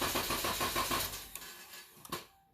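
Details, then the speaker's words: 2012 Dodge Durango 3.6L cranking: about six quick even starter cranks without catching; intermittent loss of fuel pump relay power (fuse M25) suggests bad TIPM not actuating the pump relay, crank no start. "So right there, we lost power. We had no power for a long time. We got power, and then it lost power again. So it's almost acts like that TIPM, the relay, is not actuating correctly."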